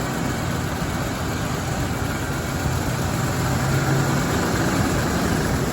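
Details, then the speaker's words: 1983 Cadillac Seville after injector replacement, coming off a cold start; even, settled low idle with steady beat, no ticking or misses, not smoky, running nicely. Normal idle. "Well, I don't want to jinx it, but it does seem to be running nicely."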